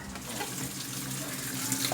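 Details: LG top-load washing machine WF-T8510TD (8.5 kg) with dE error after running a while: steady rush of water pouring into the tub with no buzzing or sputter, inlet filling normally.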